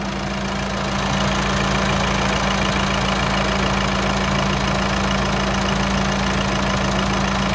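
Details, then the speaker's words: Volkswagen Amarok 2.0 diesel after engine rebuild and road test: even, steady idle clatter about four beats a second, no knocks or misses; healthy diesel. "E aí e é muita melodia é muita melodia né motor diesel esse barulho característico esse som característico e castanhado né"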